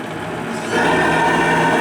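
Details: Repaired JMC 3 steam engine (piston re-fixed to rod) in the Lechalas RC steamboat, regulated around 2 bar: even chuffing easing off smoothly as it's slowed down, no knocks or hiss leaks; running fine.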